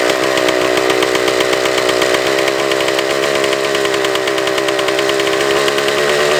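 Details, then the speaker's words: Suzuki TS400 Apache two-stroke, bolt fitted in the exhaust drain, baffle blown out: loud buzzy engine holds high revs without dropping back. Throttle cable found extended; they hope that was the cause. "oh the throttle cable was extended we we hope that was it"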